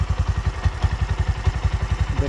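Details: Bajaj BS6 single-cylinder petrol motorcycle idling with a steady, even low thump at about ten pulses a second. The owner had suspected a crankshaft bearing noise, and the valves and seals have been redone.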